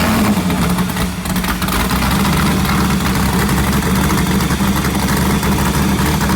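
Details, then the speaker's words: Wrecked sand rail being rebuilt, V8 fired up after repairs: deep lumpy V8 burble holding a steady idle with no knocks or misses; healthy idle despite a small fuel leak and a radiator needing fixing. "Sounds healthy. >> She's alive. She sounds good."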